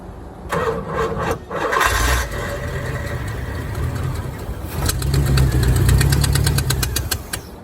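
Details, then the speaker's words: 1987 Chevrolet Corvette C4, TPI replaced by a marine carburetor: it cranks, catches and revs unevenly with a lumpy, stumbling beat, a backfire and no knock. It runs rough because the ignition timing is slightly off and needs readjusting. "Whoop, backfired. Yeah, I think I got it. Timing's a little off. I gotta readjust the timing."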